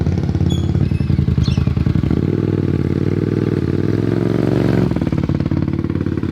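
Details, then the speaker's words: Carbureted twin motorcycle at operating temperature, during a carb sync with homemade fluid gauges: an even, smooth idle that lifts cleanly on the throttle and settles back without stumbling. Balanced and healthy. "But I'm pretty happy with how it sounds, so I guess taking it for a spin and see how it feels."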